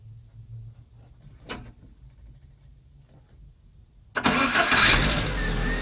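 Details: Lada Kalina after curing a starter squeak by removing the starter and greasing the Bendix with graphite grease plus Hado: a short crank, then the engine catches at once into a steady idle with no squeak.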